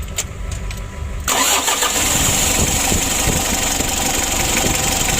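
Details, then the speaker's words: Mitsubishi L300 diesel after engine rebuild (standard block, original pistons and crankshaft, new standard bearings, new timing belt, new air filter): short crank, catches at once, steady even diesel clatter at idle, oil pressure good, no smoke; normal start and idle. "Oke lur, untuk mesinnya sudah hidup lur."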